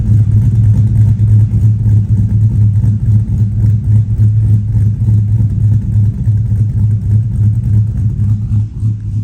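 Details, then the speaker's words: 2005 Chevy Silverado 1500 5.3L with Texas Speed Chopacabra cam, Speed Engineering long tubes and a 3-inch single exhaust, warm idle at 181° coolant in closed loop: heavy rhythmic lope settling smoothly; timing jumps, idle speed correction still needs tuning. "still have to do some playing comes down to idle really nice. I say we're doing pretty good."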